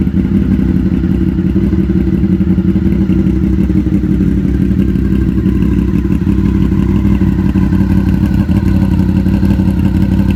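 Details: Custom 2000 Honda VFR800, previously wrecked and bought not running: deep, steady V4 idle burble with even low pulses and no knocks or misses, idling cleanly and healthy.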